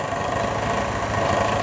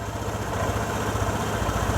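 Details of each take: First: Vespa ET4 scooter while idle is adjusted: turned lower than it should be, it gives a slow, uneven low putter, the motor working to stay alive; idle speed set too low. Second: Vespa ET4 scooter, engine fully warmed up, idle being turned down via the air-box adjuster from a high, noisy setting: steady, even low putter with no hunting or racing, rear tire stationary so the automatic clutch is disengaged; normal idle.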